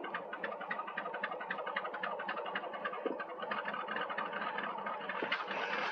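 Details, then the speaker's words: Ford Mustang 5.0 HO V8 at an auction yard, just started with a jump pack: an uneven, stumbling, lumpy idle that never settles, running but not great. Cause unconfirmed; later runs a little better. "she is running but not great not great at all"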